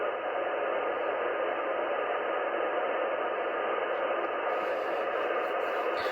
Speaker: whatever it is it's just like blanketing the entire band